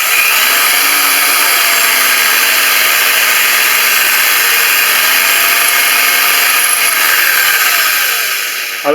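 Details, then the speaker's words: Drilling ceramic wall tile with a masonry bit at high chuck speed, tile on a flat surface over wood and a rag: high-speed whine with a thin, wavering whistle as the bit scratches the glaze. Normal when starting the hole. "allez entendre un petit sifflement petit sifflement c'est là la mèche à béton qui érafle la faïence"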